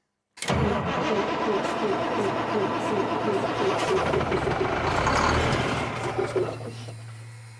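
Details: Old Ford mobile home mover truck being revived, with ether used: the starter churns in a steady rhythm for about seven seconds without the engine catching cleanly, producing some smoke.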